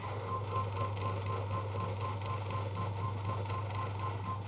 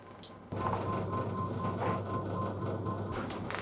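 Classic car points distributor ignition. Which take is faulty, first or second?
first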